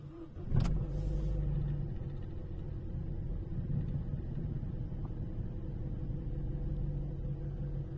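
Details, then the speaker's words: Opel Astra J petrol engine with LPG system, cold start; idle gently surges and runs slightly unevenly, caused by fuel trims learned on gas at idle diverging from petrol. "minimalnie faluje Myślę że słychać że silnik nierówno pracuje"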